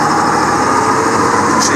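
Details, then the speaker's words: 4960 tractor, recently reassembled, in top road gear (shifted up through 15) heading for a steep hill: steady, even drone with no knocks, whines or gear noise; running smoothly under load. "humming like a champ we'll hit the hill here it should slow down too about 21 mile an hour"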